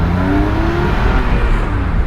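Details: 2006 Porsche 997.1 Carrera 4S Cabriolet, manual, flat-six, driving POV under hard acceleration: strong smooth rising howl climbing cleanly with revs, no knocks or rattles; healthy pull.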